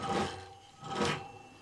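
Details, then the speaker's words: Sparta Maxx 70 e-bike, 48V front hub motor: rough, stuttering rasping buzz starting from standstill; it runs fine once moving. Either the controller or the wiring is suspected. "klein beetje verzetten en als die hem dan pakt dan hapert ie ook, je hoort hem trillen dat gaat niet soepel"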